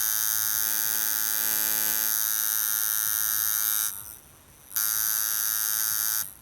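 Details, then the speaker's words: Camber Custom coil tattoo machine with a shader front spring and 18-gauge rear spring, run at 7 volts from the power-pack switch: soft, steady buzz with a long, gentle stroke, a big throw and gap; running normally. "right so that's very soft and it's quite big quite a big throw there it's quite a big gap"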